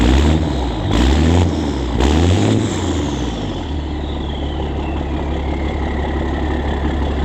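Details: 2004 International school bus (Skoolie/toy hauler), 2002 DT466e 7.6L inline-six turbo diesel, pre-emissions, after muffler removal: about three seconds of cranking, then catches into a loud, deep, open straight-pipe diesel idle.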